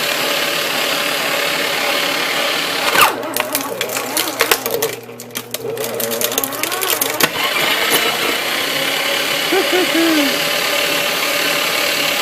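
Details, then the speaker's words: Heavily worn Aurora AS890C shredder, safety features removed, destroying floppy disks: harsh grinding and crunching over a ragged running roar; worn motor and gears, though it still cuts. "you'll see how it does it sounds like came from the bowels of hell because so worn out I say it does a pretty fine job actually"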